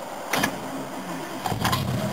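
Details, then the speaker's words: 1969 Mercedes W111 220SB warm after a short drive and 5-minute soak, previously failed to start hot: short crank, catches promptly and revs cleanly, good hot start. "I've been for a small drive and now it's warm this is set for 5 minutes this is when it normally wouldn't"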